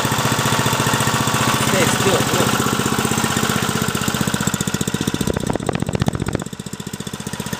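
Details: Briggs & Stratton 3.5 hp single, likely little-used, after carburettor clean: steady even putt-putt about four beats a second, firing cleanly without misses; running good.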